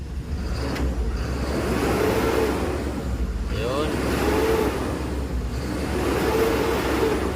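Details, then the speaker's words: Mitsubishi Canter 4M50 diesel after hard-start fix, now starting on one click even warm: three repeated revs toward redline, pitch rising cleanly and falling back without misses, pulling strong and healthy. "yung normal na RPM niya dapat umabot siya sa red line"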